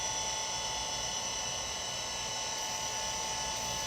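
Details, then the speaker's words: Compaq Portable III hard drive, last used in 1997, set as BIOS type 2: steady high-pitched whine and hiss as it spins up and holds speed, detected by BIOS but never boots; no system found, possibly no operating system on it. "It seemed happy with it. But it's not. Maybe there's not an operating system on here as well. Yeah, it does seem to be detecting the drive properly. It just doesn't seem to find any system."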